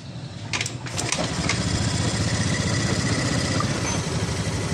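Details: Honda Scoopy FI ESP scooter, no electric start, battery 12.5 V, kick started: uneven lumpy idle stumbling and sputtering as if about to die; weak fuel pump not delivering enough pressure, hesitation complaint.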